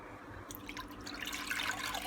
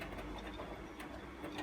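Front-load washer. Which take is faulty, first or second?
second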